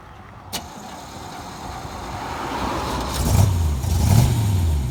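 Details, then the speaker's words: 1963 Corvette split-window V8, revived after sitting for years and switched over to electric: starts, settles quietly, then revs smoothly twice and falls back without misses or knocks; not crazy loud, normal running. "all right we're gonna start it up oh yeah yeah no no that's nothing crazy loud"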